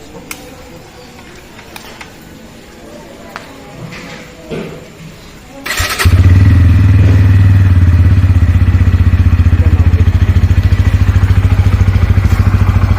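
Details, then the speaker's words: Bajaj Pulsar NS160, whose chain starts going "kat-kat" after about 150–200 km of riding: clicks and handling, then the single starts and settles into a fast regular clatter, likely from the chain. Chain clicking noise. "आपको आवाज आ रही होगी भाई कटकट की यह आपको आवाज आ रही होगी कटकट की की क्या कटकट हो रहा है भाई बहुत सारे बंदे सोचते हैं बहुत बड़ा इशू हो गया भाई पलसर में"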